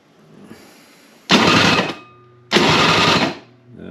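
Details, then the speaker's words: Toro snowblower about 25 years old, unused about 2 years, with a dry-rotted primer bulb: the electric start gives two short bursts of labored, rough cranking and never catches. Owner suspects it needs a spark plug. "that sounds bad when I was trying it before it was kind of struggling uh I'm thinking it's going to need a spark plug"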